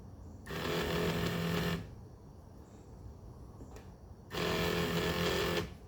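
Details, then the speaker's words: 1982 Mercedes 300SD passenger power seat, motor powered directly at the pins from a 12 V lithium jump box: two short bursts of smooth, light hum with no gear load; motor spins but moves nothing, drive cable detached. "That one is spinning but not moving anything."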